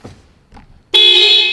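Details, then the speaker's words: AWD Civic Type R build, after adjusting horns that were touching each other or aluminum: one clean strong horn blast with a steady bright tone, no rattle or buzz; horn fixed. "Okay, much better. See? Got it."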